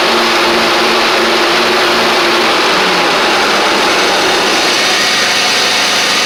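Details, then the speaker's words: John Deere X350 riding mower, 48in deck, after full service with new blades: deck lowered, blades engaged, loud even whoosh over a steady engine note, no grinding or knocking; normal running, sounds better now. "Just wanted to make sure. It sounds like it's doing better now. May have just been where I took them off and did all that good stuff."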